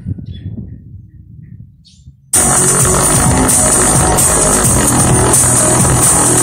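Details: Speaker overdriven about five minutes at full volume on an amplifier more powerful than the speaker: loud music with rough, buzzy edge on beat and bass; speaker cone blown.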